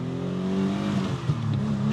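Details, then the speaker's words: 1992 Cutlass Supreme International Edition with twin dual-cam 3.4 V6, first drive after sitting for years: it revs up cleanly and back without stumbling or the earlier dying-out issue. Butter smooth, with good temperature and voltage. "Oh, butter smooth, butter smooth."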